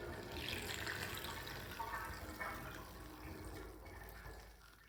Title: Interesting bathtub drain with my sinkplug 45.5 mm with loud gurgling sound